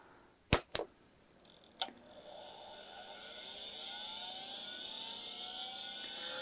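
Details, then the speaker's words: Mid-1990s Pentium PC, hard drive used as load to start the power supply at first power-up: sharp clicks then a rough uneven rising whine as platters spin up; drive sounds failing while fan runs fine. "fan is working fine hard drive does not sound good but it did draw enough load to get this power supply working"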